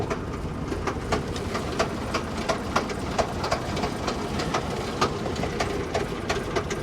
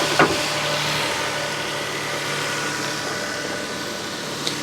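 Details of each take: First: Lincoln MKC at a salvage auction, rough-running petrol engine banging with sharp, uneven knocks two or three times a second; inspector suspects a thrown rod out of the block. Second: Toyota Sienna minivan at salvage auction on a very cold day, timing belt replaced at 124,000 miles; quiet, even hum with no knocks or ticks; normal idle.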